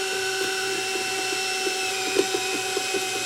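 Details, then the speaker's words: Sony DSR-11 DVCAM deck (eBay, wouldn't load tape) rewinding with front cover off: steady piercing whine at one pitch with faint scattered ticks, loud; likely dry, worn capstan motor bearing, not considered serious. "that's a little better still out I think that's the caps and motor [Music] bearing but not too worried"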